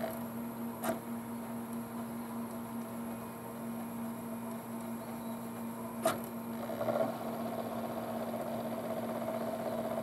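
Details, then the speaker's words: Sony PlayStation after laser/optical pickup cleaned and regreased, loading Resident Evil 3: low steady hum with only a couple faint clicks as the laser seeks; normal quiet disc drive operation. "it's really quiet guys you can hardly hear it the only time you can really Airy is when the laser means of distance there"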